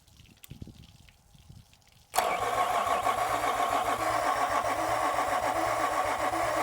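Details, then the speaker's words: 2003 Yamaha 225 four-stroke outboard with low compression on two cylinders, after fuel flush, squeeze ball primed: quiet, then sudden catch and uneven lumpy run with steady pulse; fuel leak found dripping, otherwise doesn't sound too bad. "Other than that, doesn't sound too bad."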